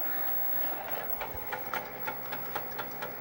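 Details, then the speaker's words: Rusty Amiga floppy drive (one of two restored, for Amiga 2000s), reading a disk on boot with 3.1 ROM: whirs roughly and ticks about four times a second; doesn't sound great but works. "If we listen carefully, you can hear the drive ticking. Hear it?"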